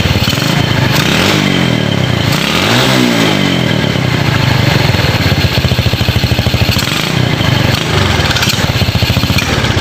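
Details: Ragged, uneven pulse stumbling and sputtering under throttle on a Yamaha Jupiter Z single that misfires when gassed; dirty or corroded connections suspected, spark plug and ignition to be checked, cause not pinned down.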